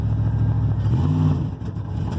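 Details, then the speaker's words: 1988 GMC Sierra barn find with replaced heads, driven on road under acceleration: pulls briefly then note breaks up and drops off, sputtering and cutting out; owner suspects it isn't getting enough gas, unconfirmed. "usually around this some of these curves I'm going faster it cuts out spitting sputters like it's not getting enough gas"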